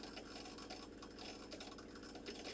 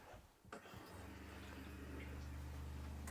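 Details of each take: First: Factory Jayco caravan water pump running with the tap half open: a surging, jackhammer-like chattering buzz with uneven flow and heavy vibration. It is being replaced with a Seaflow 42 series pump and an accumulator tank. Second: New Seaflow 42 series caravan water pump with an accumulator tank, after installation: a low, steady, smooth hum measuring about 54 dB, 8–10 dB quieter than the old Shurflo. Sounds normal.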